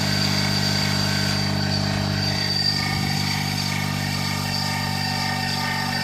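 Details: Daihatsu Terios Kid idling with a sudden abnormal noise traced to the alternator, to be replaced with a rebuilt unit: constant whirring tone over the idle, not knock-rhythmic; alternator bearing noise.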